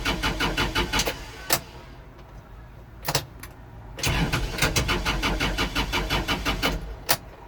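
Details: Kubota L4330HSTC hydrostatic tractor after intermittent stalling: starter churns in fast even bursts, pauses, cranks again, never catches; fuel filter changed and bowl cleaned, cause not found, owner suspects a switch.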